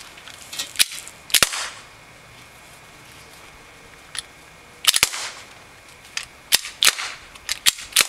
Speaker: you can hear is firing every time the sears not holding and i'm not touching the trigger and the trigger is completely reset and it just fires